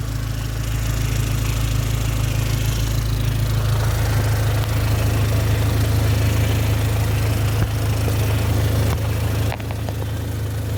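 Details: 2004 Dodge Neon SRT-4, running after a crank-no-start was traced to corroded, poor starter power wiring (check engine light still on): steady low rumble with an even beat at idle; the engine sounds healthy.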